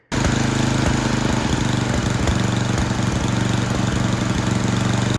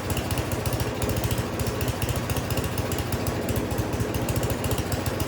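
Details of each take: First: Yard Machines 24-inch snowblower with a Tecumseh 8 hp engine, after the carburetor was cleaned and its low and high mixture tuned to cure surging at full throttle: steady, even, rapid single-cylinder beat with no hunting. It runs smoothly. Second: Snow blower small single-cylinder engine after carburetor cleaning still surging, speed rising and falling instead of holding steady; hunting idle from cheap carburetor, new carburetor to be ordered.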